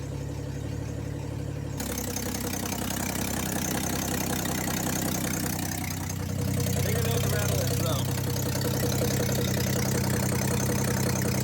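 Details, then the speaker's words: 1962 Ford Falcon, not run in 25 years, original 6-volt coil and wiring, warm idle: a steady deep knock, roughly four per second, under the exhaust; lower-end noise, cause suspected, not confirmed. "what's this that's not good I don't know how well the video is picking it out but nothing got a lower-end noise"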